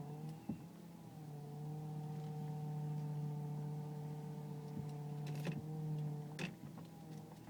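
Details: Car with loud power steering whine when turning left or right below 10 mph, quieter at higher speed; fluid full, no leaks or foam, fluid jumps slightly in reservoir, belt sounds normal: loud steady low whine; pump or rack suspected, unconfirmed.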